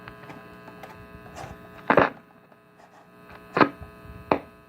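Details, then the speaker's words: 1956 Zenith high-end AM/FM tube radio on the FM band with no FM antenna connected: a steady low mains-type hum under knocks and handling thumps. The owner suspects a bad FM tube; AM works perfectly. "So I'll show you what they mean by it hums. Crap, it's stuck. So I think this is a bad FM tube."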